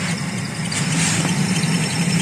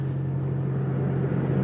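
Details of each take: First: Toyota Aqua hybrid heater blower: steady fan rush and low hum with a thin, high squeal from the blower motor; cause suspected, not confirmed, motor removed for repair. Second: Toyota Aqua hybrid heater blower after removing the squealing motor, impeller slightly damaged but not rubbing, at minus 22 °C outside; steady even hum with no squeal; normal heater blower fan.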